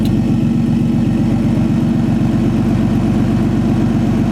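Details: RB20 with upgraded LS1 alternator (2004 Pontiac GTO unit), faulty idle air control valve, fans switched on, about 13.8 V: idle hunts slightly, no belt squeal or alternator whine; normal alternator and belt under electrical load.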